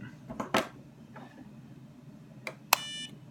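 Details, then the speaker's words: Innokin Z Biip AIO vape kit, tank filled with 70 VG e-liquid: a short high electronic beep as the tank is mounted back in, the normal insertion confirmation signal. "Now the beeping comes in when you actually mount it back in."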